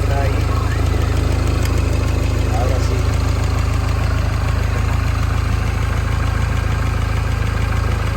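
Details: Mini Cooper S R56 idling after timing chain and tensioner replacement; steady, even pulse about three beats a second with no rattle or slap on startup, sounds normal.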